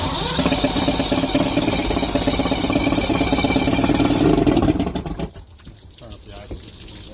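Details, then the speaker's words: 1970 Mercury 1150 L6 Silver Block outboard after replacing bad trigger/distributor and rebuilding carbs, fuel leak still present: even two-stroke buzz holds steady for about four seconds, then dies away; normal running. "Crank it up, everything looks good. That's good."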